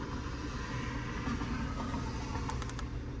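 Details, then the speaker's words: 2014 Hyundai Sonata 2.4L idling after upper timing chain replacement with balance shaft timed correctly: low even rumble, no tick or rattle, no misfire, no check-engine light or engine codes; normal idle. "um but other than that this car is running fine I don't feel any my fire no chickening light our job here is complete and another happy customer"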